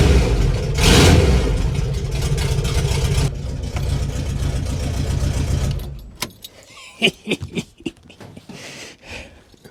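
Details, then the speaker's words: 1988 VW Vanagon run with muffler and catalytic converter cut off, owner believing them clogged and causing engine issues: loud raw open-pipe roar rising with a throttle blip then cutting off, "sounds like a race car"; exhaust had broken at the header. "That's a bus right there. Yeah, boy. Sounds like a race car."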